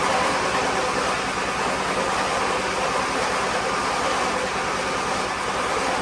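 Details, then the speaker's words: Weather-worn Wheel Horse GT-1600 WorkHorse tractor with Briggs engine, remote gas tank, choke on: starter turns it over steadily for six seconds but it never fires; no sign of spark, suspected no fuel reaching it. "well we ain't got nothing it don't even sound like it's sparking sound like it's trying to hit"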